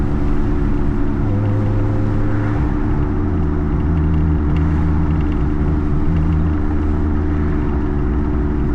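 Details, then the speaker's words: Honda Integra DC2 that has sat for a while, possibly low on fuel, while driving: steady low drone under road noise holding its pitch while cruising; owner suspects a failing wheel bearing, possibly from sitting. Cause not confirmed. "So I don't know if you guys can hear it, but there's like a loud humming that's coming on over here."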